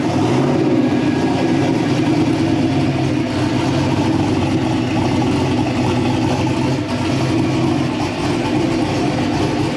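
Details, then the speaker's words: LS-swapped V8 "Bob" just converted to methanol, warming up after first startup while data is logged: deep even burble with no knocks, misses or rattles; normal idle and revving. "sounds pretty good all right hopefully you can hear me but we're trying to let it warm up a little bit get through the warm-up cycle so we can see all that stuff in the data logs and make sure everything is okay"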